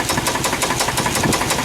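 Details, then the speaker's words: Suburban engine with a knock and squeak, after new plugs and wires. Valve cover off at idle, sharp even ticking about six times a second traced to one rocker arm, other rockers quiet: rocker arm tapping. "take the bve cover off and take a look the side the uh sound is coming from this lifter I'm sorry this rocker I'm putting my point right on there I'm hearing it I don't really hear it on any of the other ones"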